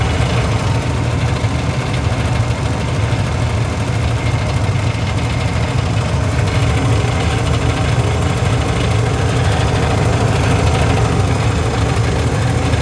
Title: Furnace heat draft making noise #heat #service